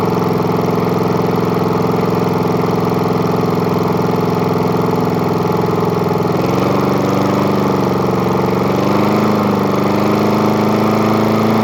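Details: Murray lawn mower with spare replacement engine, started after repeated priming: single-cylinder runs steadily with firm even beat, pitch wavering as speed changes; running properly.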